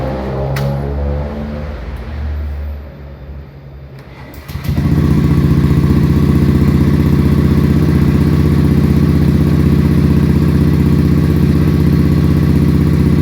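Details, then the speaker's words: Honda Beat FI fuel-injected scooter, about a year old, weak pulling and abnormal idle: starts at high idle, dies as revs drop toward idle, then restarts to steady fast idle about four beats a second; cause unknown. "ini nah mati motornya Ini kalau misalkan motor injeksi seperti ini kalau misalkan baru dihidupin Emang stasionernya seperti yang besar"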